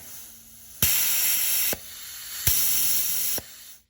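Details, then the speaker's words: Ford E4OD/4R100 solenoid pack on a bench test, solenoids switched on and off: two sharp bursts of air hiss, each starting and cutting off cleanly as the valve opens and seals; the shift solenoids check out mechanically good. "Now, you can hear it clicking also. Also, you can hear all 4 clicking."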